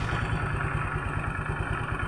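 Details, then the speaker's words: Automatic scooter CVT, cover open, after the fault fix: steady even idle with no rattle, clatter or jolt at the rear pulley/clutch on gentle initial throttle; rattle had been caused by badly damaged rollers jamming in the roller housing. "oke teman-teman udah tidak terdengar suara ngeletek ngelotok ataupun suara hentakan di bagian area puli belakang atau CVT bagian belakangnya ya"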